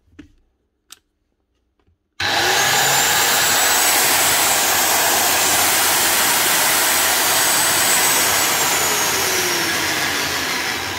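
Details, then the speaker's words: Rotabroach magnetic drill motor running: loud, harsh gritty whirring; the linear needle bearing stabilising the rotating shaft is totally shot, needles dropping out; replace before it damages the shaft or sleeve. "That sounds a bit geary. Gears or bearings."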